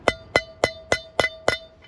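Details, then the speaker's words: Caravan wheel bearing service: six hammer taps about every 0.3 seconds on a race driver, each ringing clear and metallic; tone changes once race is fully seated in the hub, not yet seated here. "we're listening for that to change right which what that will mean is that this race here is seated all the way down inside the Hub"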